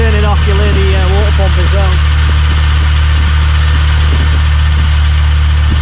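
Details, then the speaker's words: 2007 Vauxhall VXR 2.8 V6 turbo, 276 hp, long stood unmaintained: heavy steady idle with loose, uneven metallic rattle over it; timing chain rattle, engine to be rebuilt and timing chain, oil and water pumps repaired. "let's give it a start i'll show you the infamous timing rattle [Music] and that is what time train rattle sounds like"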